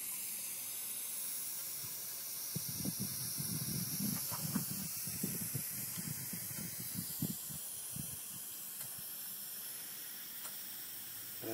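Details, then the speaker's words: 2001 Jeep Cherokee Sport 4.0 idling after a short drive, overheating from about 200 to red despite new radiator, thermostat and housing; steady faint hiss with irregular bubbling and popping as coolant escapes as steam, from a failed head gasket, confirmed by replacement. "all right so here we are we're steaming again I don't know where the sources of the uh leak but you can hear definitely hear it"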